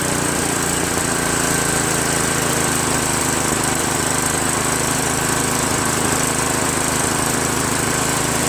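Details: Craftsman 5.5 hp OHV 26-inch two-stage snowblower, previously surging, after replacing the carburetor with a Chinese copy: steady, even small-engine drone, no hunting, surging or misfires; running smoothly.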